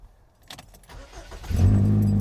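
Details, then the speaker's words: Car with a performance muffler, started with the key: engine catches into a loud, deep, raspy rumble far too boomy for stock. Exhaust leak at a flange joint with a visible gap, apparently held by a roll pin, not bolted. "I see this joint here where the exhaust link is. You can actually see the gap. The thing is it's not bolted together."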